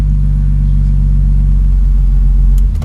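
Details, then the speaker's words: 2002 BMW 325i E46, cranks but no start: the engine catches and settles into an even rumble after the ignition switch wiring harness is wiggled; faulty ignition switch connection suspected, normal running once started. "now it's gone again let's try again yeah there you go the car starts"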